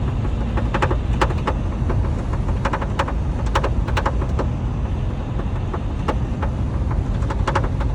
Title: Lincoln mkz rattle noise passenger side